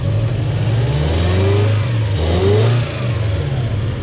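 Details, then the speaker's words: Toyota Hilux with 1UZ-FE V8, lack of power and poor idle: revs up and drops back with a flat hollow note and slight lump, spark tester shows no spark; running on four cylinders. "This is how flat it sounds. So that's sounding pretty flat."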